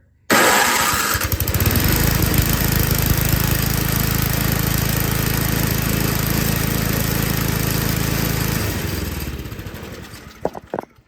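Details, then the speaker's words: Toro 521 snowblower that would not start: cranks, catches after a second, runs unevenly at a fast chuff before dying; owner suspects a previous bad carb adjustment, still needs warm-up and tuning. "so my suspicion is somebody was trying to tune this carburetor because it wasn't starting or running and just didn't know how to adjust it and turn that in way too far"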